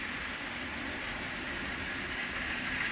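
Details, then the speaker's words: Thomas the Tank Engine model locomotive pulling six cars (milk tankers and brake van), picking up speed after a turnout: steady even motor hum, light rail hiss, no stutter or grinding under load; running smoothly, normal. "and there's our little Thomas he's running good follow me six cars no problem"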